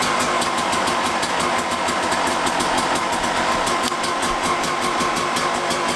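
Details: Suzuki RM250 two-stroke dirt bike after repacking the exhaust silencer and fitting radiator braces and an hour meter, first start on the channel: crisp, even ring-ding crackle at a fast steady idle, no knock or misses; running healthy.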